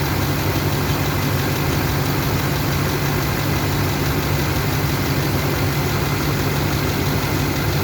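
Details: Duramax LMM diesel with blow-by at a deep, heavy idle with a strong low drone and a slightly uneven beat; a misfire on cylinder 7 is suspected, not confirmed.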